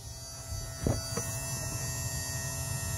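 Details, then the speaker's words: Newly replaced bilge pump on a 1997 Bass Tracker Pro-18 boat: steady low electric hum with faint even buzz, no rattles or surging, much quieter than the old pump; normal bilge pump operation. "oh yeah yeah it's home and away that's a lot quieter than that other one"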